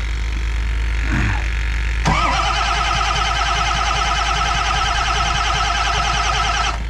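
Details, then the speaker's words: Ford F-550 diesel cold start in a snowstorm, about 500 psi high-pressure oil: click, then about four seconds of steady starter spin with evenly spaced compression pulses; even, healthy cranking. "that's good. Can you hear how it's cranking evenly?"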